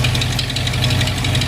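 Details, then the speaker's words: 1959 Corvette, rebuilt carbureted 283 V8 with points ignition, cold start after two throttle pumps: deep, even burble idle with no stray knocks; normal idle. "points single point systems and ten-time dwells and that idles really night"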